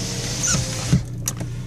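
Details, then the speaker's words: 2000 Renault Laguna Alize, right-hand drive, 100k miles: power window going up with smooth steady motor hum about a second, then soft thump as glass seats; travels cleanly like new, normal. "there you go our power windows are down let me put them up so you can just so you can see they both go up like brand"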